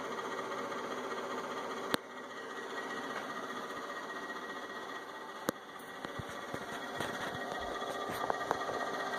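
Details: Inverter with only the left cooling fan on: quiet, steady whirring hum with a thin whine and occasional clicks, cause unclear; noisy cooling fan.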